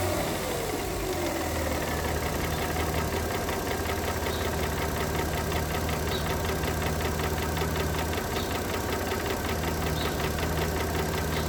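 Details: 2009 Mercedes W211 with 3.5 engine at idle: crisp, rapid, somewhat uneven tapping near three per second above the low rumble; engine knock, cause unclear.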